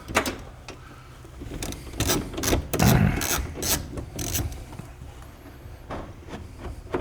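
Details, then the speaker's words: 2011 Mazda CX-9 power window regulator motor: uneven ratcheting clicks two to three a second over the motor whir, the gear probably stripping and not catching, hopefully on the motor side; power window motor ratcheting. "So that sound we're hearing is probably that gear just shifting through there Stripping It's out. stripping and it. not catching it."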